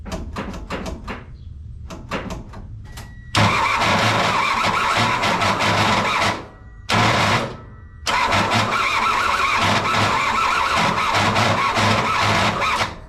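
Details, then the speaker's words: Kei truck bought as a parts truck, running on temporary fuel and battery setup: starter grinds and whirs roughly in bursts after sharp clicks while cranking, still turning the engine; starter and its wire very hot; cause unclear. "Um, I'm not sure why the starter is making that noise again, but it's still spinning the engine over."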